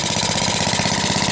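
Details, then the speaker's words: 1948 Briggs and Stratton WMB single-cylinder, cold first start after auction purchase, old varnished fuel, tank replaced: quick even putter at steady idle without misses; runs fine. "runs pretty good BR Straton wmb"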